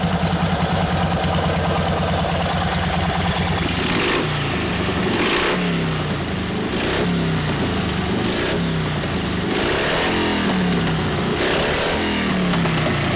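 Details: 1952 Harley-Davidson 74ci panhead, freshly rebuilt top end, hot, rebuilt Linkert carb: loose, lumpy idle with throttle blips every second or so; taking throttle now but still running lean.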